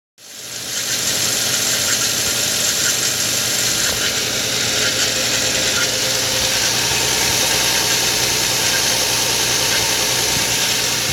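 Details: 2013 Nissan Xterra, 95,000 miles, idling after a cold start: loud, hissy clatter with a rough ticking about four times a second, an abnormal engine noise.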